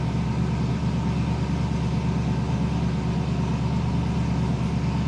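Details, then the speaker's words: Foxbody Mustang on E85, idling right after cold start following retune; previously surged and died until warm: steady, even idle with constant low rumble, no surging or hunting; running normally. "all of the surging went away that's awesome we still do need a little bit of after starting Richmond"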